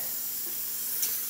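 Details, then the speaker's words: Quick Mill Silvano espresso machine after water pump and air valve repair, steam wand at full pressure: thin steady high hiss, a little weak and restricted as the tip seems partly clogged. "to be a little bit clogged there you go"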